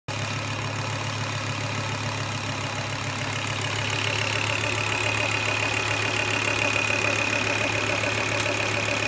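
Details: Volvo S70 T5 manual, warm idle: normal lifter tick plus a faint background rubbing, whooshing sound, seemingly from the block; absent on cold start, appears after about a minute warm, not heard when revved; runs fine, oil level good, cause unknown.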